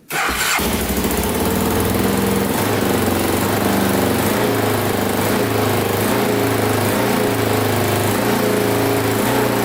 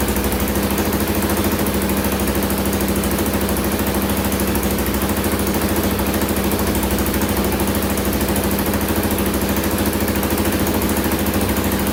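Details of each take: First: 2000 Can-Am DS650 quad, top end rebuilt, first runs, pipes still smoking off: single fires up quickly, fast even idle, no top-end noise, good response and power; idle too high, cause unknown. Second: 2000 Can-Am DS650 quad, single-cylinder 650cc, after lowering idle on carburetor: quick even beat holding steady, no stumbles or misses; normal idle.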